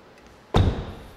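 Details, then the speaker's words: 600,000-mile Lexus LS430 door after latch replacement: one solid, crisp, deep thump as the door shuts with no rattle; the old rattling noise is gone and the new latch engages properly. "I'm very happy usually when you replace the latch the door will start making that strong pop because now everything is new and working making the right sounds"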